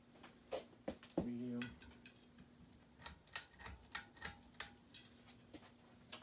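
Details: Hunter Leighton ceiling fan, built week 35 of 2005, on low speed: light, fairly even ticking about three times a second over quiet motor hum, then stops; a fallen sticker tag being thrown around inside the motor.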